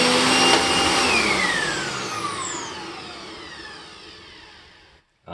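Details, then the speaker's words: Upright vacuum after a new belt was fitted and its alignment adjusted so it hits nothing: a high motor whine winding down smoothly with no slapping or rubbing; normal running. "fantastic nice and smooth I think we are good with my Riccar simplicity and the Panasonic"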